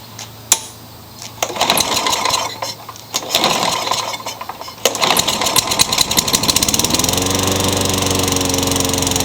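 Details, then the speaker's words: Discarded Craftsman mower that started and died, a carburetor problem: after rough catches it fires and holds a steady, slightly rising buzzy note that still sounds lean. The owner plans a new carburetor; lean-sounding running. "so it actually stayed running that's the first time that's done that but it still sounds like it's running too lean"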